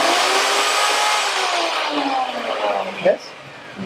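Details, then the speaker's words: Router on a universal tool speed control switch set to full, switched on and off through the controller: a high, steady motor whine at full speed, then dropping in pitch and fading as it is switched off. Normal running. "So we're going to turn our router on. And as you can see now, using this switch allow us to turn the router on and off, right?"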